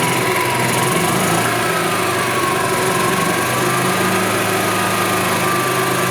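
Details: 1999 Club Car DS gas golf cart engine after an oil top-up: small single cylinder buzzing at a fast even idle with light rattles, no stumbling.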